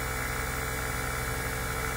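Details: NAVAC NP4DLM cordless dual-stage brushless vacuum pump at deep vacuum, ballast closed: an even, steady low drone with a fine constant buzz and no surging or knocking; running smoothly.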